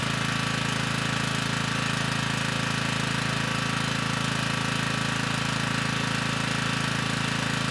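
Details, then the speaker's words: Generac 3500 W generator, GN220 engine, after replacing the broken carburettor jet; it starts right up with the choke off and runs at speed with a steady, even thump and no misses, with little smoke. "this time it started right up with the choke off you know likely there was still some fuel in the cylinder from the last time we ran it with the broken jet you know but this time the engine got right up to speed"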